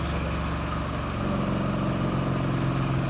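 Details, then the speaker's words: Aluminum rear driveshaft from a 2006 Ford Ranger spinning in a balancing machine: low rumbling drone with an uneven knock from a loose slip yoke, more pronounced at lower rpm, matching the truck's driving complaint. "this slip yolk is loose we'll get that knocking noise through the threshold it'll come back here hope it's coming through on them it's more pronounced at the lower rpms"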